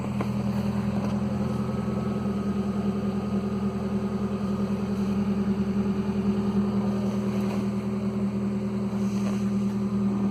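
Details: 2015 Nissan Versa engine start-up and idle: loud rapid steady putt-putt from underneath, an exhaust leak where the pipe rotted away just after the muffler flange connection; pipe needs replacing.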